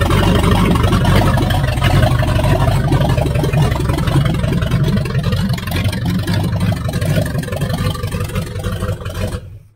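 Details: 1978 Chevy Nova 305 V8, abandoned 25 years, open exhaust, rat-chewed distributor wires, getting hot: loud lumpy uneven idle with slight shake, running on all cylinders; owner rules out carburetor and distributor, cause unknown.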